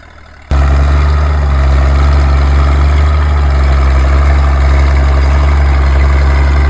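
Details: Old D6 dozer diesel being warmed up, smoking a bit, while a military D4 waits on an oil cooler repair. Deep, steady idle, even low beat, no knocks, misses or hunting: normal idle.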